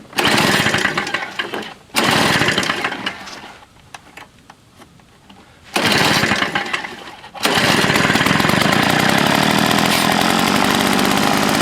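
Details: Old Toro S-200 during carburetor work, hard to start when cold. The primer sounds like it isn't drawing gas despite a full tank, and the diaphragm was replaced long ago. Loud rasp, dies, catches twice: surging and stalling; owner suspects a carb kit is needed.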